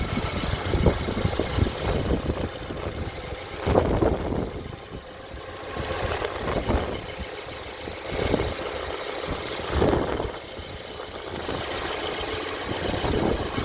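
Idling engine with irregular heavier knocks that come and go every few seconds over a fairly steady idle; an intermittent knock, cause unclear.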